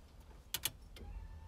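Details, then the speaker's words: 1991 Foxbody Mustang GT after a Holley Terminator X fuel injection install, ignition cycled: two quick relay clicks, then a faint steady hum as the fuel pump primes normally. "yep heard it cycle fuel pumps wearing away"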